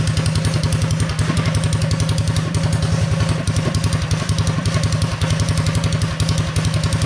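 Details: Predator 212 single-cylinder with Mikuni carb and torque converter, first test run after upgrades: steady, even thumping at constant pace with no misses or knocks; runs clean and healthy.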